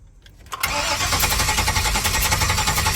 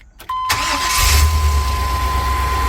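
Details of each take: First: 1999 Chevy Express 3500 van, codes P0339, P1351, P1626: engine cranks, catches and runs rough about three seconds then dies; starts then immediately stalls because the immobilizer/security system cuts fuel injection, with no communication to the computer. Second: 1999 Chevy Express 3500 van after no-start diagnosis: brief crank, then the engine catches cleanly and settles into a steady idle, though described as slightly shaky before warm-up and timing check; starting fault cured.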